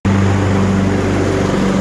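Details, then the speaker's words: Used Husqvarna riding tractor test run after deck weld repair and axle seal replacement, chute down, mowing: steady, even engine drone with constant low hum, no knocks or surges under load; engine healthy. "I'll go ahead and put this chute down and we'll give it a test run here."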